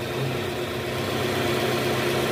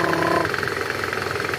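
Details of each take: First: 2010 Toyota Camry 2AZ engine after balancer shaft replacement, AC on, in R: even steady idle hum with no rattle or knock; previously clicked when shifted to R due to worn balancer shaft, now normal. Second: 2010 Toyota Camry, 2AZ engine, AC on, in gear with throttle applied: fast, even, loud rattling clatter over idle that stops in neutral; worn balancer shaft gears rattling.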